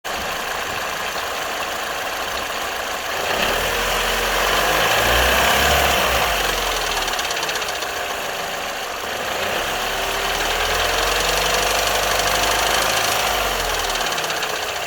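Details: Vauxhall Corsa D petrol engine on cold start idle: light metallic rattle over a wavering whirr, gone after a few minutes' driving, despite timing chain, crank sprocket, tensioner and guides replaced two weeks earlier; owner suspects timing chain, not confirmed.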